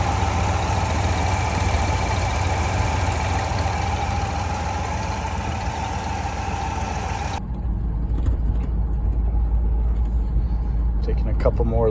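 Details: 1988 Ford Bronco, off the road 24 years, running while cooling system is flushed: steady low idle, even and unhurried, no knocks or squeals; temperature holding just past halfway; normal idle.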